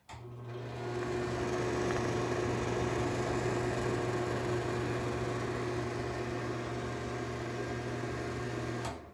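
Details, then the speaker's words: Dirty NuTone bathroom exhaust fan with light, before cleaning and greasing: incredibly loud steady low hum with droning tone, from a dry, worn motor bearing. "this thing is incredibly loud I'm going to let you hear how it sounds"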